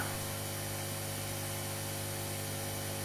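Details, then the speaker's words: Aoyue 968 hot air unit after repair with a new heater and a new 1.2 ohm fuse resistor, following sparks and smoke: steady, even blower rush with a low hum and no rattles or surging; running fine, temperature reads a tad high. "okay now here we go everything's back together again um I just tested it and it seems to run fine"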